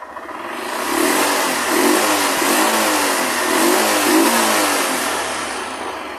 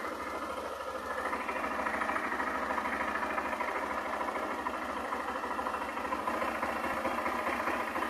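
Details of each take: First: 2008 Honda Fan 125 that misfired on acceleration and drained the battery, after replacing the burnt voltage regulator: revving rises and falls smoothly through several blips without misfires or rattles; charging now works. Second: moto falha consome a bateria quer morrer não carrega agora vou substituir o regulador de e vou fazer o teste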